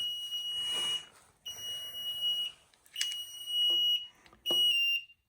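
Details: Newly installed high-end HVAC system in a basement: high steady electronic tone in one-second bursts with short gaps, no flash-code key found; alarm clears but then shows service needed, cause unclear.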